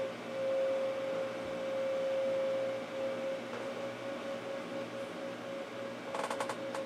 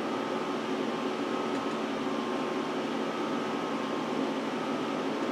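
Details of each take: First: Power Mac G5 Quad at first boot, side cover off: steady mid-pitched whine rises out of the fan hiss and holds a couple of seconds as the optical drive spins up a CD inside; drive working normally. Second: Power Mac G5 Quad on first boot after unboxing: loud, steady whooshing fan roar with no easing off as the CD drive spins down; fans kick up to full speed while it hangs, owner suspects a crash.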